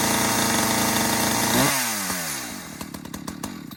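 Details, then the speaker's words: ECHO Timber Wolf CS-590 chainsaw, new, cold start on choke: two-stroke buzzing fast on choke, then revs drop and settle into a slower, uneven idle as the choke clears; normal warm-up. "so I let it run just a little bit to burn off that choke, and then you could hear it sped up a little bit and slowed down, and that's enough."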